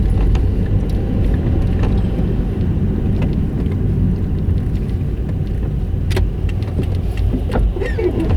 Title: Yaris making grinding noise in reverse